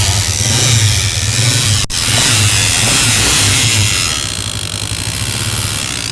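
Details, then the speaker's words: Honda CG 125 idling: harsh rapid rattling whirr following revs, sounding like the kick but coming from the clutch-side cover; cause found to be a jammed RPM/speedometer cable drive, fixed without opening the engine. "अब इस bike की यह जो आवाज है basically kick की लगती है। लेकिन किक जो है वो बिल्कुल अपनी जगह पे सही खड़ी है। ये जो आवाज है बेसिकली क्लच साइड कवर से आ रही है।"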